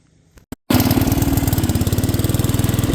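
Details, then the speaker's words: Old riding mower engine, governor adjusted down as far as possible: catches and immediately races at a high, hard pulsing run instead of idling; over-revving whenever the throttle plate opens, cause unconfirmed. "any throttle at all, like that throttle plate opens and it's way over revving. I've got the governor adjusted as much down as I can get it."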